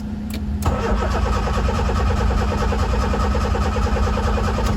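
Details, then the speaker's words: Honda EF Civic after chassis and hybrid OBD0/OBD1 engine harness swap, jump-started in neutral: extended fast cranking with starter whine, engine never catches; owner suspects out of fuel. "Probably out of gas."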